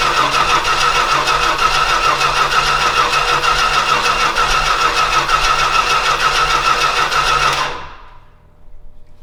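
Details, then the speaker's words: Old Stewart & Stevenson aircraft tug engine, carburetor primed with extra fuel, timing thought close. Steady starter whirr with even cranking pulses about three per second for nearly eight seconds, never firing. It cranks but won't start. "nothing we got nothing okay round two Timmy wins"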